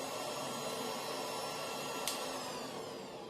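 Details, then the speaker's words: Goldshell X5 scrypt ASIC miner's 1800 W power supply with a small fan spinning very fast: quiet but piercing steady high-pitched whine over a soft airy hiss; high-pitched power supply fan whine. "supply the noise is not much but it's the pitch is really high"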